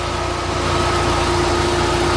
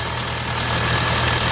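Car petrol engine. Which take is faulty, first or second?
second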